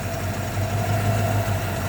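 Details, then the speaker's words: 1986 Ford Mustang LX convertible 5.0L 302 V8 with brand-new, barely tuned carburetor: low lumpy idle sagging and wavering, wanting to stall; rough idle needing carburetor tuning. "yeah she's wanting to stall out so you know again some some tuning because again that's a brand new carburetor it's not really been messed with until i kind of started to uh tune it today"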